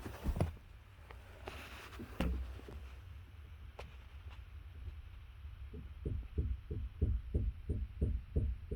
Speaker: your day you're gonna hear a little thud sometimes when you hit bumps and it kind of makes a little noise come from like your front tires you don't know what it is good chance this is it